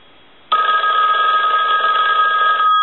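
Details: Red AT&T rotary dial 500 desk telephone rung repeatedly on the bench during checkout: bell starts sharply and rings in a bright, steady, even trill for over two seconds; ringer works properly.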